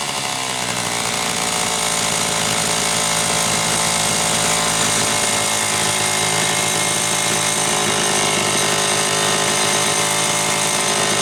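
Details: Homelite Super XL chainsaw test run after starter spring repair and a bad new spark plug replaced; it was previously running lean: steady high-pitched full-throttle buzz with no sag, slightly rich on the high side on purpose to warm up.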